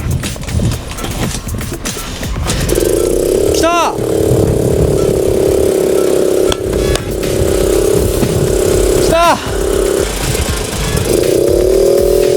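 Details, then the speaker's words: Suzuki Choinori 50cc scooter, after carburetor repair with a new float valve and an NGK CR6HDXS plug swap: engine catches and settles into a thin, steady buzz with little strength, running weakly just after starting. "お、来た、に来た。来たよ。弱いけどとことこ言い始めた。"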